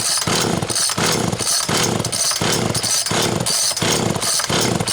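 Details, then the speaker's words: Homelite XL Automatic (Textron) chainsaw with a rebuilt carb that dies at high rpm and only runs on full choke; it is also leaking gas. Revs surge about every half second, rising and sagging unevenly; fuel starvation with the high-speed needle closed. "When at high RPM it dies, starving for gas, only runs with choke on full."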